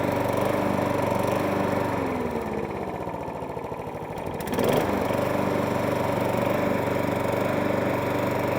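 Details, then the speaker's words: 1.8 Harrier 41 auto drive electric start lawnmower, in only for a pull cord repair, buzzes steadily, sags briefly for a couple of seconds after a slight hunt and surge, then picks up to an even healthy run; stops and starts as it should. "Well, that's not too shabby. It's only in for the pull cord. Machine stops and starts as it should do."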